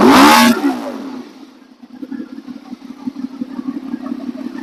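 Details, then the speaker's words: Honda VFR800 first start with replacement used engine, new oil, filter and coolant: one quick clean rev rising and falling smoothly, then steady even idle with no knocks; healthy. "revving fine. Uh, so that's good."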